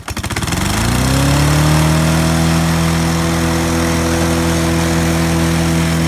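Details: Snapper self-propelled lawnmower, owned about 10 years, running at a loud, steady high-rev drone with irregular pops and no drop to idle; throttle stuck wide open after a choke-linkage piece broke off, engine knocking, carburetor keeps coming off.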